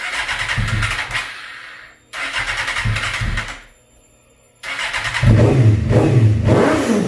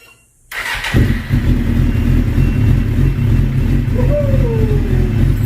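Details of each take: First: 2005 Suzuki GSX-R750 after stator-rectifier wiring cleaned and airbox installed: revs on each throttle blip, then fades and dies to silence twice; stalls at idle because the idle speed is set too low. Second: 2005 Suzuki GSX-R750 after idle adjustment: catches after a short crank and settles into a steady, even idle with a smooth low burble; normal idle, fix worked.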